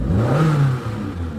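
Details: Samsung Korean car that had hard starting and no power, after the fuel pump was replaced: a quick rev climbs and drops back smoothly with no stumble or miss. The engine now pulls freely.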